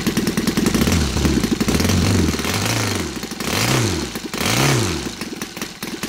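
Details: Saito FA270T twin converted to gasoline with CH ignition, 20:1 mix, TF 20x10 prop: off idle it blips and falls back in uneven surges, loaded up rich after idling; excess fuel must burn off.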